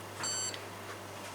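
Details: Washing machine run on spin only: a bright electronic beep burst, then clicks, as it shows the E9 error code. The brushes audibly spark, so worn brushes are suspected, or possibly the control board.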